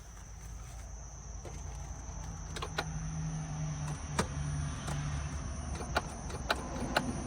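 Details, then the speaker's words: Flood-damaged, fully submerged Pontiac Solstice with drive-by-wire electronic throttle; at key on, a faint electric whir from the throttle body trying to move comes and goes, with no cranking; BCM/ECM possibly fried; flood-damaged car not starting. "Okay, so not a good start, but not a horrible start either. Now, this is a drive-by-wire vehicle, so it's an electronic throttle body and throttle, and you could hear it trying to do something."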